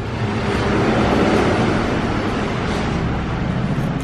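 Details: Royal Enfield Classic 500cc BS4 EFI single after moving the sensor lower to cure a missing problem: even thump about four a second, no stumbles or skipped beats, normal clean idle without missing.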